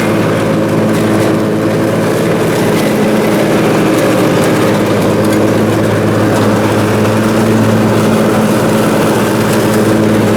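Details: Briggs & Stratton Intek M44 twin on a mower after full carburetor tear-down and cleaning, mowing: steady even drone with no surging or hunting; runs smoothly, sounds much better than before.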